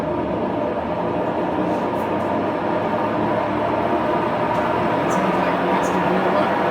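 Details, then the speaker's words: Huebsch coin-operated washer, after its burnt belt was replaced with a new one: a loud, steady roaring rumble with a grating edge during the spin cycle. The owner suspects bearings or a control board issue; the cause is unconfirmed. "that's just crazy so if anybody can kind of helped me out is that a bearing issue"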